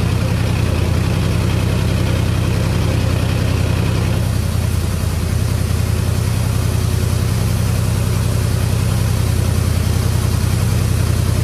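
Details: Ford Mustang after drilling into an ash-filled catalytic converter, phone set behind the car: uneven lumpy low throb about 2.5 pulses a second, labouring and stumbling; runs rough, cause not confirmed.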